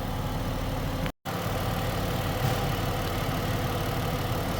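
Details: 2011 Ford Escape: a steady low idle with a faint, persistent extra noise underneath that rises with revs; the owner suspects a rod bearing or timing belt/chain, unconfirmed.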